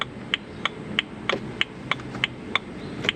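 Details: BMW E92 325 manual coupe after an instrument cluster repair with needles removed, indicator buzzer speaker replaced to fix missing tick: crisp even ticks about three per second with a quiet background; turn signal ticking works normally.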